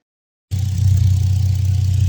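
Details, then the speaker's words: Nissan Skyline R32 GTR after R35 ignition coil conversion with new subharness: silence, then the engine catches and settles straight into a steady, even idle with no misses, stumbles or knocks. "And as you can hear, we're running now. I'm not even in the car adjusting the idle."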